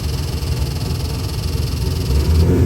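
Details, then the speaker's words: Ford 347 stroker crate V8 for a '63 Mustang, Eagle forged rotating assembly, AFR heads, MSD distributor, Holley multi-port EFI, about 493-496 hp, running on the dyno: deep steady even rumble building slightly in speed; healthy fresh engine. "Let's fire it up, give you a run demo. It also makes some nice power, too."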